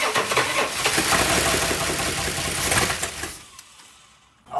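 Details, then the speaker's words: 1965 Chrysler Imperial LeBaron, abandoned over 20 years: sluggish cranking that drags and fades without catching; battery dying quickly and hot, owner unsure if something else is wrong, engine feels tight. "she's trying man that battery is just wow [Applause] the battery dying that quick it's got some heat coming off of it"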